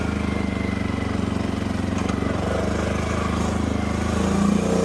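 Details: 2015 CFMOTO 800cc EFI V-twin ATV, 818 miles, idling after sitting over two years, with a new AGM battery and fresh gas. Steady, even idle with a regular low pulse and no knocks or misses; it runs cleanly (a left-case oil leak was found later).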